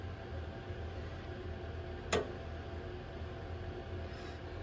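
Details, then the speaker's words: Three-year-old Castle Serenity pellet stove, just thoroughly cleaned, during startup with the igniter still on: only the exhaust blower runs, giving a steady, even low hum with one brief click and no rattle; healthy exhaust blower. "the only blower running is this one down here this blower motor here is the exhaust blower it's literally sucking air through the stove"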